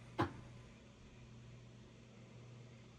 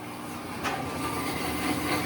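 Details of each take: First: Whirlpool-built top-load washer after control board replacement, test cycle: quiet hum with one sharp click, then a short cluster of clicks a few seconds later; the lid lock engages and releases normally. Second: Whirlpool-built top-load washer: a steady low hum starts a few seconds after plugging in as the drain pump kicks on and runs nonstop. Most likely a faulty control board whose pressure/fill sensor commands pumping; fixed by replacing the control board.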